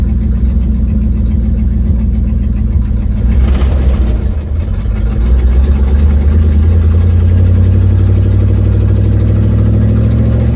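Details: 1972 Ford Mustang driving home, phone in the dash, before repair: deep, rough puffing rumble growing louder as the car pulls away and gains speed, from an exhaust leak.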